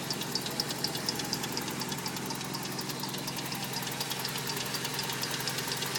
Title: 22RE mystery noise... timing chain?